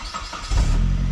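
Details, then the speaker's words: 2002 Saab 9-3 convertible after readjusting the exhaust clamp, still leaking slightly through a crack in the clamp: brief crank, steady low idle, no rattle, faint leak hiss; much improved exhaust. "We readjusted the clamp down there, and it's like leaking a little bit in the little crack that there is on the clamp, but"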